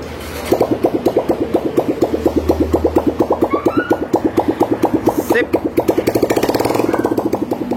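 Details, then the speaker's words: Honda Verza 150cc fuel-injected engine after rebuild of a seized engine with a destroyed piston; exhaust not yet fitted, it starts immediately and settles into a quick, even open-pipe popping idle, steady and unbroken. "alhamdulillah mesinnya langsung mau hidup"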